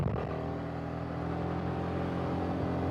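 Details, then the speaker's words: Wuji (无极) SR4 Max 350 single-cylinder motorcycle riding: steady exhaust beat with light quick metallic valve tapping, normal for the single; audible in full-face helmet but not annoying, clearer with half helmet. "个气门声，就是会稍微有一点敲铁片的声音。这个声音，我戴全盔的话是不是很明显？可以说也能听到，但不会那么烦。"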